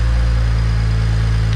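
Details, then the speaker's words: BMW 335xi N54 twin-turbo engine, first start after Pure 600 turbo build: deep, steady idle with an even hum and no ticks or misses, no leaks, smoke only residue burning off; healthy. "Oh, that sounds healthy as fuck."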